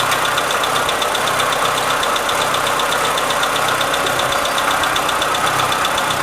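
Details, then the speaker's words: Renault Sandero petrol at idle, also showing a fluctuating dash temperature gauge: fast, uneven light slapping and rattle about two or three a second from the engine; slack timing belt, which was then adjusted. "o defeito é o painel mariano barulho no motor no caso é a correia dentada bamba"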